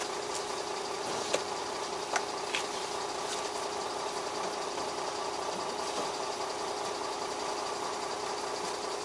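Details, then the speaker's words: Old Beaver motorhome on a freezing Gulf Coast day, started after a dead starting battery low on water; charging at 13.7 V and running a lot better, even steady idle with soft regular patter, no misses or knocks: normal idle. "battery accessories all right I'm running a lot better now foreign"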